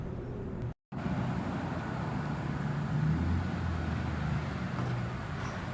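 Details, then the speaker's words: 2002 Chevrolet Camaro Z/28 35th Anniversary, 5.7L LS1 V8 325 hp, automatic, 18,000 original miles: brief start then steady deep burbling idle with even beat, no knocks or ticks; normal healthy idle. "Great sound to it. Cut it off here. It really has a great sound to it."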